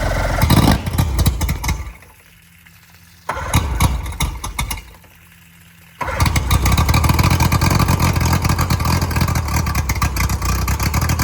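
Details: Boat outboard motor started after sitting about a couple of months: a couple of short bursts, then catches and holds a steady even run with no misses or knocks; motor ran good.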